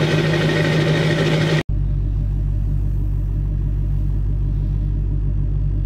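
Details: 2002 Chevy 2500HD LB7 Duramax diesel at 5°F, Merchant high idle, Airdog lift pump, PPE boost valve, resonator delete; loud clatter then abrupt cut to steady even idle with deep drone — normal cold start and high idle.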